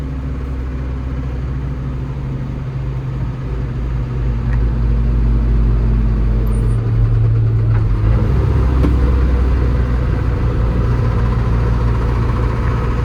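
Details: Unidentified engine noise on a TRM 2000 diesel: deep idle with a rough, uneven knock around three per second, holding steady; source unclear, suspected bearing, injector or manifold.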